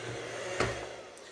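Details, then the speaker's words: Eufy RoboVac roller brush motor tested upside down with the front sensor covered: steady low whir with a single sharp click, brush rotating normally, so the 4-beep red-light fault is more likely the motor gearbox. "so cover the sensor up press the go button and hopefully you can see down there that that is rotating so that effects means that my roller brush is"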